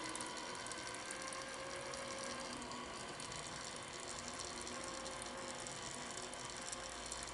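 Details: Minn Kota GPS saltwater trolling motor turning housing, after cleaning salt residue and regreasing: fine even ratcheting whirr from small gear train running in reverse, no catches or grinding; gears meshing properly after repair.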